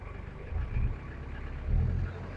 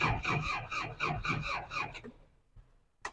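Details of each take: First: 2003 Daihatsu Rocky manual 4WD diesel: deep diesel rumble swells twice with throttle blips and settles back smoothly, no knock or rattle; engine still runs very smoothly. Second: 2003 Daihatsu Rocky manual 4WD: uneven starter cranking about four beats a second, stopping and retrying, never catching; hard to start, owner guesses it needs slight throttle while cranking, and the battery seems weak.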